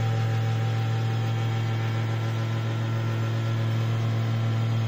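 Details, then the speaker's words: Desktop computer CPU cabinet running: loud, steady low hum with a constant drone; noisy cabinet fan, likely clogged with dust. "दोस्तों computer का CPU कुछ इस तरह से आवाज़ कर रहा है इसे ठीक करने के लिए आप क्या कर सकते हैं"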